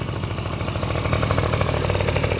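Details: Honda Dio two-stroke scooter after cleaning oil flooding from a leaking oil pump and fitting a DIY gravity-feed fuel tank in place of the failed fuel pump: quick, regular putter holding a steady idle without stalling or stumbling; normal.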